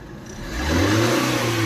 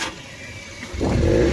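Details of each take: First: Maruti Suzuki Eeco on CNG, after clearing clogged silencer/catalytic converter that caused poor pickup and starting trouble (codes P0133, P0130, P0171): engine revs cleanly on throttle blip and settles back; normal running. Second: Maruti Eeco pickup with codes P0133, P0130, P0171, won't exceed 20–30, no pickup in third and fourth gear, won't run on CNG: flat idle, short rev that stalls at low pitch and won't climb, engine dying at idle; choked silencer/catalytic converter.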